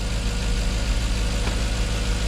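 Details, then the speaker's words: Jaguar XK8 idling at about 800–850 rpm after coil replacement, with good oil pressure, battery charging and temperature down: a steady, even idle with no misses. Slight vibration remains, and the owner thinks new plugs may help. "yeah she's running good we've got good oil pressure batteries charging half a tank of gas just over temperatures down"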